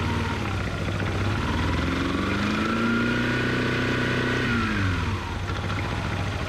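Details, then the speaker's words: 2005 Yamaha Majesty 400cc scooter, reassembled with new variator parts, revved: revs rise and fall smoothly with even whirr following engine speed, no slipping, rattle or clatter; normal CVT operation, yard ride no weird noises. "we'll just rode around the yard no issues no weird noises"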